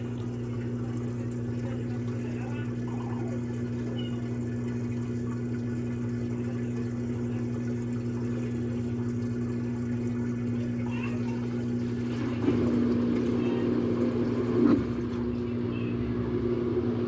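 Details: LG Turbo Drum washer on spin cycle after draining: steady even motor hum with a little water sloshing, spinning smoothly without grinding or knocking.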